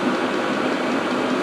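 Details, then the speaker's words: Self-contained red Vevor-type parking heater with a modified, very hot exhaust: even, steady roar with no pulsing, popping or stumbling, burning cleanly and running normally. "It's burning really really well. I mean it's absolutely stocky there. Really good."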